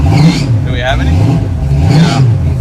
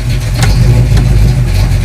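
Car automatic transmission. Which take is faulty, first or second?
first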